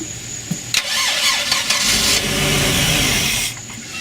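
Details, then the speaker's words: MerCruiser 4.3 V6 boat engine on a new block, with a new fuel pump, a suspect rebuilt carburetor and possible water in the fuel: the starter spins unevenly, and it catches briefly on syringe-primed fuel then dies; the pump delivers, but the carburetor passes no fuel, even to the idle jets. "the carburetor there's something up with the carburetor the carburetor is not letting any fuel into the system at all I mean not even in to the idle jets or anything"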